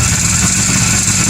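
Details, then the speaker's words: Rare 1957–58 Berkeley SE328 barn find with an Excelsior two-stroke engine, unrun for years, serviced, first start with throttle: raspy, ragged two-stroke buzz, uneven under throttle. It runs rough and needs a tune-up. "look at that holy cow i mean it definitely needs a tune-up but well it'll be underneath the car"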